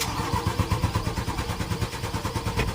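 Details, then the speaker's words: Mitsubishi Canter 4M50 diesel: very long steady rapid cranking without catching, hard starting despite strong engine power, repeatedly destroying starters. "observe natin dito na sobrang taas ng cranking bago pa umandar malakas naman yung power ng engine Ang problema lang talaga dito ay hard starting"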